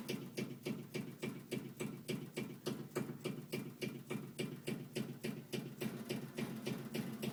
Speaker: so this is the sound that the air conditioner unit is making this copper pipe is vibrating whatever it is but it's not the pipe itself but i can feel the thump coming through it